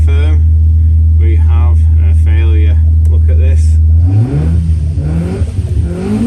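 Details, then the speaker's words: 1040 engine on the dyno at about 75, rich, drones steadily then revs unevenly; mechanically sound but smoking as an oil burner, traced to a crushed oil control ring on cylinder two. "although I think it's got a problem sorry Ed but it does appear to be a bit of an oil burner"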